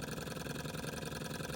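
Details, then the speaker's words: Restored small Stirling hot-air engine, no exhaust, running on an uneven burner. Light, quick, even chuffing beat rising and falling slightly in speed as the flame wavers; running well. "so guys the engine as you can see is going perfectly now focus hasn't been run for a while"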